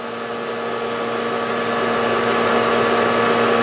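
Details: Pursanova turnkey industrial RO system on first start-up, set to 50/50 recovery at about 140 PSI: steady motor hum with a constant pitch, slowly swelling as pressure builds; high-pressure pump running normally and smoothly.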